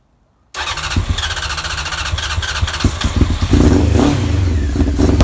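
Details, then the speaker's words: Honda CBR900 Fireblade, off the road over ten years, first start after carb work (T-piece rubbers, balance screws): fires within a second, even throbbing idle, picks up smoothly on a blip; healthy, bit smoky. "Wow, that sounds [ __ ] mint. bit smoky but uh it's to be expected in it. I think it's been off the road over 10 year but that that started beautiful."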